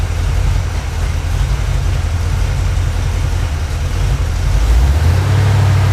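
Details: 1980 Camaro 2nd gen, freshly built Chevy 5.7 (350) V8, idling indoors while being backed off stands: deep, steady low rumble without knocks or ticks. Normal idle; an oil leak near the transmission inspection pan was found afterward.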